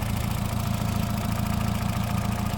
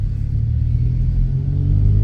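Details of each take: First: 2008 Honda Civic Hybrid small engine idling evenly with a steady low chug, no knocks, ticks or misses; healthy at idle. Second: 2008 Honda Civic Hybrid on a test drive: deep, steady exhaust drone swells as the car pulls away, louder than normal but not bad; wheel bearing noise also present.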